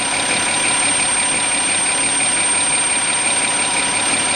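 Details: 2007 Audi Q7 3.6 petrol, automatic, AWD, 117,000 km, high-pressure pump already replaced: a thin whistle starts when warm, light at 63°C and clear by 65°C, over an even idle. It fades as revs rise. Pump blamed; owner suspects an air leak.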